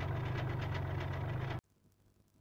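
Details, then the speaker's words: 2012 Kia Rio 1.1 CRDI diesel, abandoned 8 months, with a clogged DPF. A sharp rapid knock is heard at idle before shutoff; piston slap is suspected. It also smokes heavily, suspected from a failed turbo leaking oil into the intake. "din păcate Rezultatul este un om foarte prost motorul are o butoaie puternică care se accentuează odată cu accelerarea lui presupun că este o bătaie de piston fenomenul numit piston slab"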